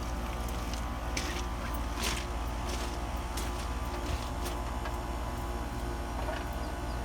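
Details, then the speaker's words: No-cooling call on an ICP builder-grade AC: the compressor hums heavily and clatters, labouring to start without picking up speed, drawing about six and a half amps; hard-start assist is being added, and early compressor failure is expected. "and I would assume everybody heard that so it's struggling to start like that is not drawing but six and a half amps"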